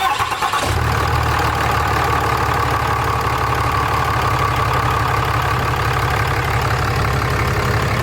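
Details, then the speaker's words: 2014 Ram 6.7 Cummins diesel, already tuned and DPF deleted, first start after EGR delete (cooler, valve, piping removed), leak check: catches quickly and settles into steady, even clatter at idle, no misses, knocks or hiss; sounds good, healthy. "Sounds good, looks good."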